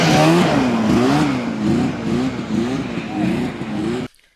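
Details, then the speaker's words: 1981 Ski-Doo Blizzard 5500 two-stroke snowmobile, carbs already cleaned, airbox confirmed as the restriction: winds up cleanly, pitch climbing and dropping with throttle, pulling strong and even before cutting off; healthy full-throttle run. "uh yeah confirmed the airbox is the problem fixed yeah all right"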